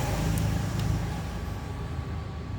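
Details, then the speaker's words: 1 HP air compressor pump, freshly assembled and not yet mounted on tank: steady even rumbling run, somewhat loud and rattly due to unmounted position, no knocks or air leaks; normal running. "suaranya agak agak berisik ya tadi karena ini belum dipasang di tabung posisinya juga masih gini"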